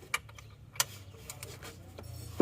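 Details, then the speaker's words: Car engine rebuilt elsewhere only about 200 km ago now won't start; turned slowly by hand with a socket wrench on the crank, it gives sharp separate "tek tek" ticks each turn. Suspected loose or broken connecting rod or bearing. "seperti ini suaranya bunyi tek tek Ini bisa juga stang atau metal yang sudah nge-gym koplok atau bisa juga seringnya patah"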